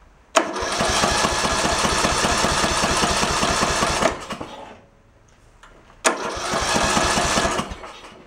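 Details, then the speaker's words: Early-2000s Craftsman LT1000 tractor, overheated and backfiring before, compression now sounding better: two bursts of even cranking, about four beats a second, with no start. The test plug arcs everywhere and is bad; fuel starvation at the carb is also suspected. "well that plug ain't any good huh see the arcing all over the place"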